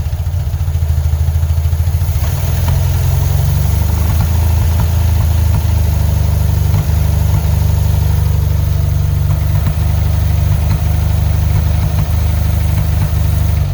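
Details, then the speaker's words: 1975 Porsche 914 1.8L with carburetors on a new replacement fuel pump: low, steady idle with occasional stumbles and dips; pump barely dribbles fuel and the pressure gauge doesn't move, so the engine is starving for fuel. "yeah can see it's just barely dribbling out of there it's completely inadequate"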